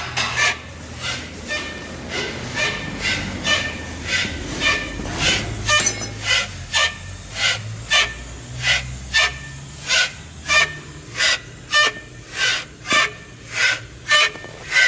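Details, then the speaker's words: Renault Kangoo 3 1.5 dCi, body rocked by hand at a workshop: dry sharp creak repeating a little under once a second with each push, from worn sway bar (stabilizer) bushings. "Bi esnemeler de öyle bir ses yapıyor ki duymayan kalmıyor arkadaşlar"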